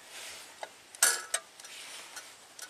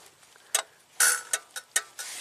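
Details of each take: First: 2002 Buick LeSabre 3800 V6, 210,000 miles, after cleaning the A/C clutch connector, tightening pins and applying DeoxIT: one sharp metallic clack as test-light power hits the clutch, then faint light ticks; compressor clutch pulls in as it should. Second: 2002 Buick LeSabre 3800 V6, 210,000 miles, A/C compressor not kicking on: sharp irregular clicks, about five in two seconds, engine off; clutch snapping in and out from a loose, spread, slightly melted GM connector terminal at the clutch.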